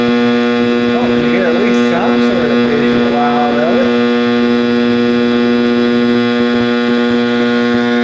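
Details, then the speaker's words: 1960s General Electric black-and-white TV, back off, warming up after rewiring: a loud, steady mains hum with buzzy overtones and a wavering howl on top; owner suspects an internal capacitor, not the tube, unconfirmed. "I bet the tune's okay. I bet this is some internal cap. So, well, that sounded a little different, didn't it?"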